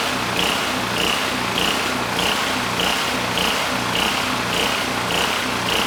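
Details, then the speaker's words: Powermate SX Power Series 3250 W generator, model PM0123250, leaking gas and oil, started first pull: fast drone with faint tick every 0.6 s and slightly uneven beat; faulty carburetor makes it run rough, engine otherwise healthy, no knocking, producing power. "Now granted, the carb it has issues. I had a lot of trouble getting the engine to run smooth."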